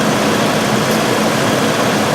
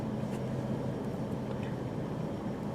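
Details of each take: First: 1997 Mercury Grand Marquis 4.6L before repair, idling, tailpipe rattling: a steady idle with a faint irregular stumble. The skip is worse at about 40 mph, there is no check-engine light, and long-term fuel trims read 14 and 18. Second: 1997 Mercury Grand Marquis 4.6L after new spark plugs and a replaced original MAF: a quiet, steady idle hum with no skips, and fuel trims now near 0. The earlier skip was blamed on bad spark plugs.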